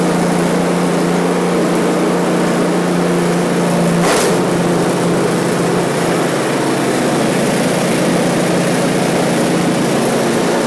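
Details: One-year-old Husqvarna ST224 snowblower engine after carburetor cleaning for fuel left over winter, full throttle, choke on, started after three primes: steady even drone with no surging or hunting; normal running after repair.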